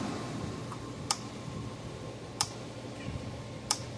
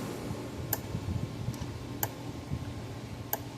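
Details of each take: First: Gallagher B1600 / MBS1800i dual-powered AC/DC fence charger: sharp evenly spaced clicks about every 1.3 seconds but output light not flashing, no output; suspected bad output board or transformer. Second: Gallagher B1600 electric fence charger, about 10 J output, repaired, on full power under resistive test loads near 500 ohms: sharp single clicks about every 1.3 seconds, evenly spaced; pulsing normally under load.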